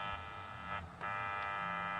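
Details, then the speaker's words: Kenwood KMC-27 microphone on an NX-800 radio, heard through a scanner: harsh steady buzz fills the transmission with no voice getting through when the cable is held in a certain spot; faulty microphone cable, not the microphone. "If you hold this thing in just the right spot, which that's actually not that hard to do, you will get that sound. And while it does that, it does not transmit any audio."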